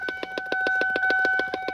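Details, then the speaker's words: 2002 Lincoln LS V8, key on or while driving; fast even popping about seven per second over a faint steady tone, relentless noise from a speaker under the dash. "Had a popping noise, relentless noise under the dash."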